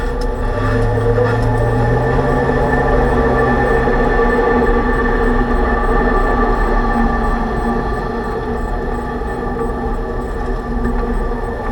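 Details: 2006 Range Rover Sport differential after rebuild for vibration and howling, all new bearings and races; constant low drone with tonal hum over road noise at cruise. Owner suspects excessive pinion preload, set 35 in-lbs versus perhaps 20.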